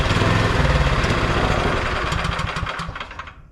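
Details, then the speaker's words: Neglected MTD Yard Machine 22-inch snowblower with 179 cc electric-start engine chugs unevenly, about four beats a second. It runs only on half or full choke and dies with choke off; carb cleaning planned. "Yeah, so you can see it runs on half choke, runs on full choke, runs on half choke, and as soon as I pull the choke completely off, it dies."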